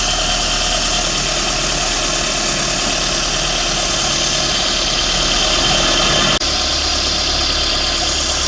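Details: 2014 Renault Sandero Stepway 1.6 8-valve after the accessory belt tensioner was refitted and aligned to cure a belt noise: a steady, even idle with no chirp or squeal. The accessory drive now sounds healthy.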